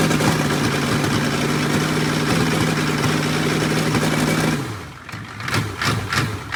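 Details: 6.5 turbo diesel Suburban after starter replacement, with no throttle hooked up: steady, even diesel clatter at idle with a regular beat, no misfire or knock, before shutdown; normal diesel idle.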